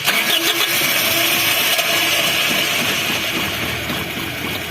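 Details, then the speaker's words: Toyota Kijang 2000 1RZ engine, limping and lacking power, fuel smell at exhaust: ragged, uneven misfire-like running; rough running, suspected low fuel pressure, possibly leaking injectors or low compression. "Nah, hidupnya gitu. Banyak faktor sih ya. Kalau hidupnya gini macam fuel pressure atau tekanan bahan bakarnya itu tidak tercapai. Disertai bau BBM di knalpot."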